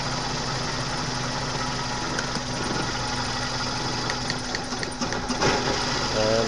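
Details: 1997 Suzuki Baleno with rough, stumbling, powerless engine: during plug-lead drop test, pulling cylinder 1 lead makes idle lumpy and irregular; leaking plug leads/caps found on cylinders 2 and 3; misfire during cylinder drop test.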